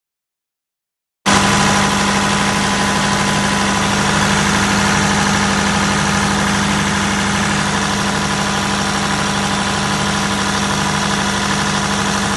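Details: Perkins 1103A-33TAG2 three-cylinder turbocharged diesel in a 45kVA prime / 50kVA standby generator, running under load: a steady, even low drone with a constant hum and no knocks or misses; running smoothly and healthy.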